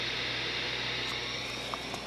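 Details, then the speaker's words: CB radio on channel 19 with dead antenna, no signal, volume fully down: constant frying hiss or white noise from the speaker, RF gain has no effect, squelch removes it; source still unknown. "This thing, it has a frying noise in it with the volume turned all the way down. No signal, just a dead antenna. You hear that white noise?"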